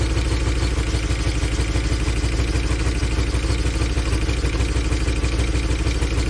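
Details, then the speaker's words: 2013 Chevy Tahoe ex-police V8 (LS, DOD), started on a fresh battery: rough, lumpy idle with an uneven low thump about three times a second; a bad miss. Oil pressure is good, and a stuck lifter is suspected. The scanner later shows a random multiple-cylinder misfire. "as you can see it's most definitely got a bad Miss in it [Music] yeah it really good oil pressure so it's probably just a stuck lifter in it"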